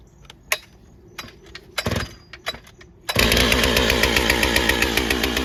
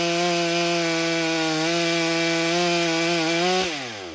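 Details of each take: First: Stihl MS661c with forged Wiseco piston, first tank of 40:1 mix, 32-inch bar, cutting soggy poplar: uneven burbling four-stroking and bogging on the first cut, cleaning up on the second cut. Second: Stihl MS661c chainsaw rebuilt with a forged Wiseco piston, first tank on 40:1 mix, 32-inch bar in soggy poplar: steady high buzz holding pitch through the cut, dipping slightly under load, winding down cleanly; cuts nicely, though some bogging was noticed.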